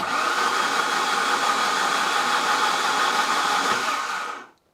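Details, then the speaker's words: Saab 900 Turbo Commander, parked 10+ years, cranked with spark plugs removed: steady even whirring spin with no catches, drag or knocks; engine turns freely, oil pressure not yet known. "Remember, there are no spark plugs in it at the moment, so there is not supposed to be any resistance, and it really sounds that way."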